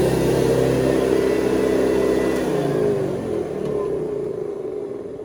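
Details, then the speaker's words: 1970s Hoover Convertible upright vacuum (the last model shown), running: a steady, fairly high-pitched motor whine, higher than the earlier model's low hum, with no rattle or scraping, easing down gently at the end; healthy motor, normal. "Okay, so when you hear this one, you're going to hear the big difference in the sound of the motor, because we go from the sort of low humming motor of before to this sound of motor, which is a little bit more high sounding."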